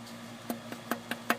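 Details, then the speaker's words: 2002 Jeep Grand Cherokee with the oil pan off: the bad, discoloured connecting rod is rocked up and down by hand, giving six sharp metallic clacks about five a second from excessive bearing clearance, the source of its rod knock; neighbouring rods have no play. "but it's really the up and down movement that uh that's where our knocking noise is coming from"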